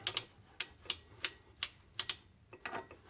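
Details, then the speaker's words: Reinstalled primary one-way bearing during the UATV-tech clutch mod install, turned by hand; crisp light clicks at an uneven pace, ratcheting normally, locking the crank to the clutch for engine braking, normal engagement. "that's your engine brake kicking in right there whenever the engine goes into idle if you're letting off the fuel that bearing pushes over and locks the crank to the clutch"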